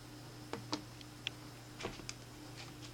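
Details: iPhone 5 shaken in a quiet room gives a handful of light irregular clicks, something loose tapping inside the case; possibly a loose battery, pressing the back softly temporarily stops it. Cause suspected, not confirmed.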